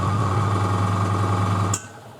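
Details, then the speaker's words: Fengda FD-186 oil-free airbrush compressor with 3 L tank, refilling after spraying (about 29 s), measured around 60 dB: steady buzzing hum with a thin high whine, running evenly, then shutting off cleanly; normal cycling. "And real quick, let's measure the decibb maybe. Uh, what was the app name? So, it's around 60 dB."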